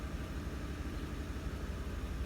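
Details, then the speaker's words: Ford F-150/Expedition/Navigator 5.4L 3-valve V8 after replacing cylinder 7 coil pack and spark plug for idle misfire (P0300, P0307): quiet even idle, steady tachometer, no skips; fix worked, normal idle. "yeah looking steady so I think that fixed our problem"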